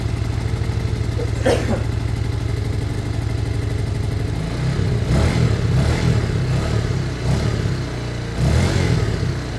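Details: Lexmoto Michigan motorcycle after carb swap: single cylinder thumps evenly at idle, then clean throttle blips rise and fall crisply; healthy running bike.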